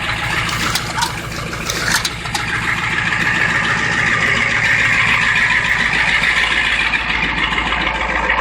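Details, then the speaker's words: 1991 Ford F350 7.3 IDI diesel, stone-cold start after sitting all day and night, after Hot Shot's injector cleaner, throttle pushed into high idle: steady, even diesel clatter with no misses or knocks; normal high idle, running really good. "P I pushed the throttle a little bit there so I could go into its high idle but it's running really good"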